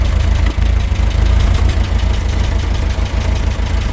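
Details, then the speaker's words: Talbot Express after a test drive, freshly fitted engine mounts and valve work: rough idle with steady puffing chuff on the low engine beat; exhaust blow, owner thinks from a pipe joint, not confirmed. "but it was a good trip apart from that exhaust blow which does sound pretty bad"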